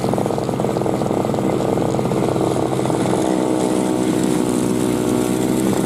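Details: 2003 Murray single-stage two-stroke snow blower, first run in 5 years, clearing snow: a steady, high buzz holding even revs with no misses or surging while pulling its load; normal running under load.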